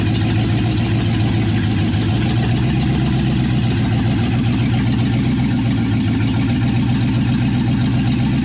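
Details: Second start of a 1963 Chevy C10's 355ci small-block V8 (350 .030 over), sat many years, reportedly low miles: steady, loud, lumpy low idle through open headers, smooth and even with no ticking or knocking. Normal idle.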